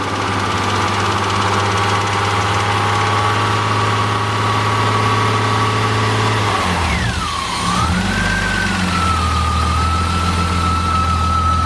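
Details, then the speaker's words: BMW S54 engine freshly installed in a drift car in one day: a steady, even idle with one quick blip dropping back smoothly and a faint whine on top. The earlier noise is gone, so the engine sounds healthy. "Yeah, no. It runs. The Cheeto's running again, and the noise is gone."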